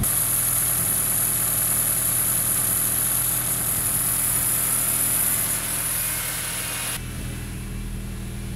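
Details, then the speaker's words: 1976 Chevy LUV 4x4 prototype (Isuzu) after Pertronix electronic ignition conversion and timing set: steady, even low idle with no misses, surges or knocks, a smooth settled tick-over. "I'd say she's set about perfect."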